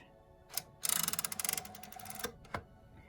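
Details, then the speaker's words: Perkins Brailler: quick run of about fifteen light, even clicks as the embossing head is dragged back, then single ticks; normal ratchet clicking that does not harm the machine. "you'll hear a clicking noise which does not harm the machine"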